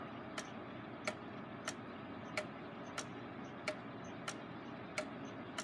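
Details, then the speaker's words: Rebuilt Gilbert long-drop octagon clock rehung on the wall, springs not fully wound: crisp ticks about ninety a minute, alternating slightly long and short, phasing a little in and out of beat; escape wheel possibly slightly out of round; slight overswing; judged minor. "phasing would be where it wanders in and out of beat I do think it's phasing just a little bit"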